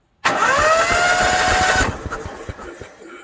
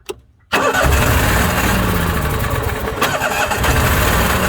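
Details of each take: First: Onan 5500/7000 Marquis Gold RV generator after carburetor cleaning, plugs out, previously would not turn: quick, even whir with a steady rhythm and no binding; normal cranking. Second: Onan 5500 RV generator: engine cranks and catches but armature whirr lags, rising and falling out of step with engine; split rubber coupling lets armature freewheel, no power output; fix is replacing coupling.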